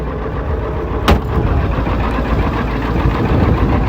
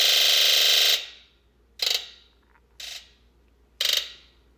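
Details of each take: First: 1996 Ford F250 7.3L diesel cold start after replacing faulty glow plug relay and IDM (hard start, P1294 code): quick catch, then steady even diesel clatter with no misfire; healthy start. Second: 1996 Ford F250 7.3L diesel, very hard start, code P1294 high-side open bank 2: injector buzz test gives one long buzz then five short buzzes; all driver-side bank injectors dead, wiring fine, water-damaged injector driver module (IDM) at fault.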